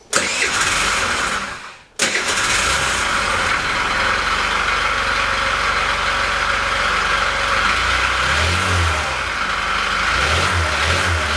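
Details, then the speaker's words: Scooter engine that had been running with interruptions: starts, is blipped, then idles unevenly with a knock. Camshaft bearings were first suspected, but the knock was found to come from the crankshaft, which is finished. "Ну вот мы нашли стук стук исходит из коленвала"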